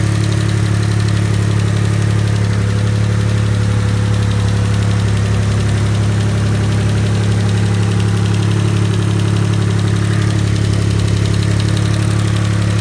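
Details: Mitsubishi GTO MK1 twin turbo (3000GT) before lifter replacement: steady low idle with a light, quick tick about three per second on top; hydraulic lifter tick.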